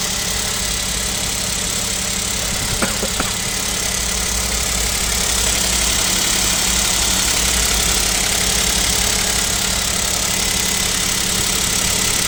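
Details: Kia Picanto 2, 1.0 G3LA engine, cold start at about -7°C: steady quick light knocking about four per second over heavy hiss; suspected piston knock, owner wonders if an overhaul is due, unconfirmed.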